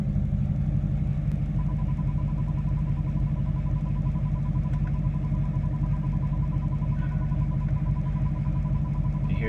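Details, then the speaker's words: LMM Duramax diesel idling in reverse: deep rumble with a thin steady high squeal/screech, present only in reverse, absent in park, neutral, drive, manual and first; cause unidentified. "hear the noise? Yeah. That's in reverse."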